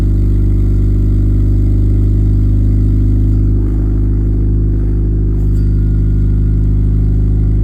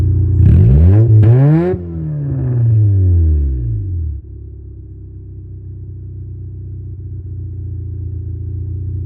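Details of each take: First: 1989 Honda Civic EF sedan on its first drive after the new exhaust was bolted in with gaskets and hangers; low, smooth note, no rasp, blowing or drone; quiet, sealed exhaust after repair. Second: 1989 Honda Civic EF sedan revved for four seconds, loud deep blare falling back to a low droning idle; rear exhaust pipe broken off and missing, exhaust open at the back; broken exhaust leak.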